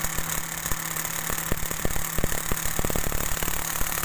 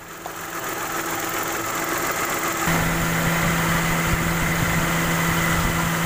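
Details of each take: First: Mitsubishi Mirage at idle with the AC on: irregular dry, rough crackling from the AC compressor that stops when the AC is off; teardown found the compressor oil dry, with no lubrication on the plate, fixed by cleaning and adding oil. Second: Mitsubishi Mirage, AC on at 18 °C, fan speed 1, driving, after compressor overhaul and refill of oil (compressor had been completely dry, causing crackling): engine even, steady compressor hum, no crackling; normal AC compressor operation.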